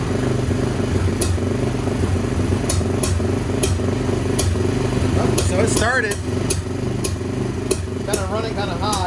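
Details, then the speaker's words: Polaris Outlaw 90 ATV (2007–08), revived after being left for dead, running on a jump box with weak battery: steady, slightly fast idle with even firing and no misses; runs cleanly, idle just set a bit high. "Oh, it sounds pretty good. We'll see. Get a little bit of power."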